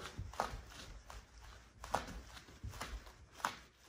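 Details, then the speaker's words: 44-year-old single-level house: dull footsteps each bring a short, dry creak from a wooden floor where the underlayment is fitted too tight with no gap; screws added between the nails to try to stop it. "can kind of hear a creaking sound I'm going to put a couple of screws here right in between these nails see if I can stop this scrunching sound"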